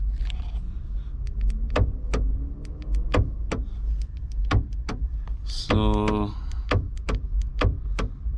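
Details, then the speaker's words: Chevy Malibu trunk latch actuator with the trunk release pressed: repeated sharp clicks about every half second, then a brief buzz, but no release clunk. The actuator tries but fails to unlatch. "nothing's still work you can still hear it trying to work"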